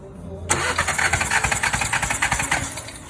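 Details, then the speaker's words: 2016 VW Jetta 1.4 turbo with cylinder 2 misfire persisting after coil swap: compression test cranking at about three and a half beats a second, slightly uneven; reads only 70 psi versus at least 100 expected, low compression. "so as you can see it doesn't it only goes to 70. it should be at least at least at least 100 to have a decent uh running engine"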